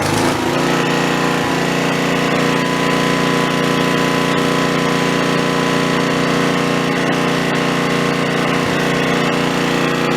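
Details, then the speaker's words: Snapper 3081 mower that died mid-mow, restarted with original spark plug refitted, engine still hot: fast, even small-engine chatter at steady speed, no misses or knocks, somewhat smoky; running normally. "thank you boy that's a smoky old thing motor's still pretty hot"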